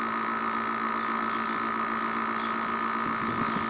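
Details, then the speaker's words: Air conditioner compressor overheating with the condenser fan stopped and pressure staying high. A loud, steady electrical hum with a buzzy edge and no fan whoosh. Very noisy when it has this fault. "e agora está superaquecendo né geralmente ele fica fazendo esse barulhão é quando ele tá com esse defeito ele é muito barulhento é muito barulhento"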